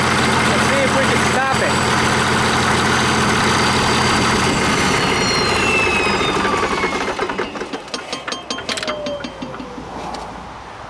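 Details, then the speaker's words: 1959 Caterpillar D337F diesel after new filters: even, steady clatter with a regular beat, no misses or knocks, then tapers off; cannot be stopped with throttle, needs shutdown lever; normal diesel idle. "damn it's like it was never even shut down now that's impressive"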